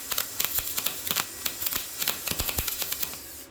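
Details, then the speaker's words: YesWelder MIG-205DS MIG welding cleaned-up rusty metal, voltage down from 24 to 22, wire speed raised at same amperage: crackling frying arc with frequent sharp pops, no long gaps; better result. "Seems to throw show bigger sparks than your other welder. Like, not as many, but like bigger to where it would burn you."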